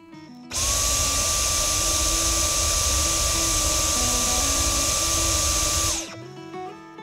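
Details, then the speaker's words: Dyson V10 Fluffy+ cordless vacuum after its washed filter fully dried: steady high whine and airflow for five seconds, normal running; earlier intermittent suction and blinking pipe light were from moisture left in the filter. "はいいつも通りちゃんと動いてくれました"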